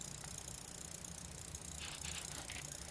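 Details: Official Nintendo 64 power adapter running a Nintendo 64 with Mario Tennis in and no controller: fast, uneven high-pitched chirping and ticking, about three per second; owner suspects the transformer or voltage regulator inside the supply.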